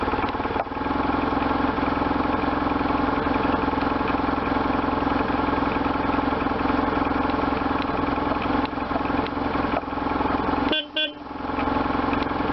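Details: 1998 BMW R1100RT boxer twin, first start after restoration, before throttle body tuning and with switch wiring unfinished. An even, steady beat with a clean throttle blip and no knocks or rattles: running healthy.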